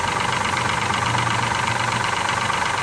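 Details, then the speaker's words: 2003 Mazda 6, 3.0 V6, 164k miles, idle: sharp, regular top-end ticking about three per second over a steady idle; noise stops at high revs. Owner suspects bad lifter or timing chain; oil pan gasket recently replaced. "I have it knocking. Wow, a little noise in the engine."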